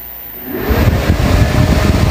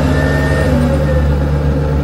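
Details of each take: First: Camper van inverter powering a 60 W charger, after warming up: a sudden rush of air with a steady whine kicks in and holds constant. The inverter's cooling fan switches on loudly and rarely stops, which is to be replaced with a PWM temperature-controlled fan. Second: Camper van inverter switched on with no load: steady low hum with a faint cooling-fan whine that eases off; normal inverter cooling fan noise.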